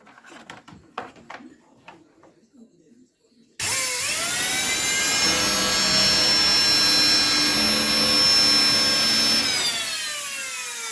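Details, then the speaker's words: Samsung Easy 1800 W vacuum cleaner motor, removed and wired straight to mains after its turbine broke and jammed: screams up to a high whine with rough hiss, then winds down; brushes visibly spark, motor overheated, to be replaced. "Вы сами можете убедиться, что оно искрится. Они немного перегрели его, пытаясь включить, когда турбина заклинила."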